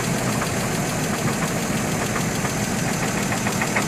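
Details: 2003 GMC Envoy at steady petrol idle with a light, regular tapping knock of unknown origin; compression 180 psi on all cylinders except #3 at 150 psi; new plugs fitted and throttle body cleaned.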